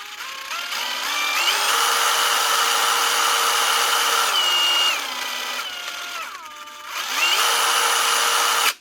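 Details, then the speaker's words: Dewalt cordless impact driver after washing out the dirty trigger switch: motor whine rises, holds, falls and climbs again smoothly with the trigger; normal variable speed operation. "Simple as that. Going through the speeds again, as it should."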